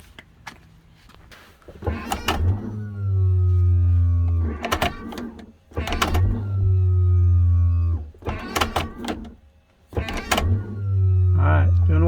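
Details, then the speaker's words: Workhorse J72 electric parking brake (W24/W18/P32 chassis) that would not release, tested after swapping a bad relay: three low, steady motor whirs of about two seconds each, stopping cleanly; actuator now working as it should. "she supposed to do now you hear that sound that's the sound you want"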